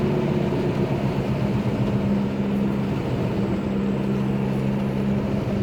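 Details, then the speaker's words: Ford Explorer on first test drive: steady low drone at one pitch from the passenger-side front wheel, a loud humming noise traced to a worn wheel bearing, which was then replaced. "as you probably heard there's a noise coming from the passenger side front wheel right here"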